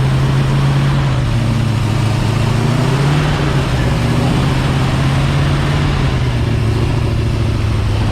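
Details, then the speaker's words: New Ford 351 Cleveland V8 in an XD ute during cam break-in, in park: a deep, steady drone held at 2000–2500 rpm fast idle, even and smooth with no ticking or knocking. Healthy, with oil pressure watched and temperature starting to rise. "What I was saying, guys, get it straight over 2000 and keep it between 2000 and 2500 revs. Don't let the revs drop."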